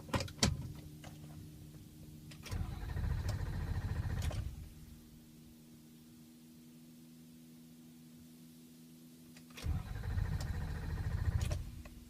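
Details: 2003 Ford Excursion 6.0L Powerstroke diesel, hot after rough-idle stalling: starter cranks in two long bursts with a quiet pause, no catch. Hot restarts take several tries and waiting; cold starts fine; cause unknown.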